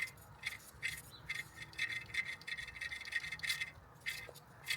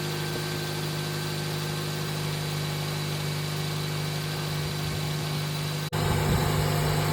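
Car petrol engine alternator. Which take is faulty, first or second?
first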